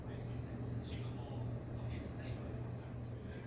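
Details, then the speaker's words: Old electric fan before repair: switched on, it won't turn, and on a higher setting it only creeps. A low steady hum without blade whoosh as the motor strains. "스위치를 켜 봅니다만 돌아갈 생각을 하지 않습니다 한 단계 더 올려봅니다 조금씩 돌아가기를 하는데 정상 작동을 하지 않습니다"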